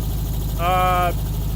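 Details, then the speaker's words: 1968 VW Bus camper, air-cooled flat-four, just revived after years of storage and a rear engine fire, with new wiring, plugs, points and condenser; gummy carburetor linkage: low, even putter, steady beats, brief tone over it; idling smoothly. "linkage is a little gummy i'm going to go ahead and wd-40 that but i think as you can hear this is running amazing right out of the box resurrected from the fire"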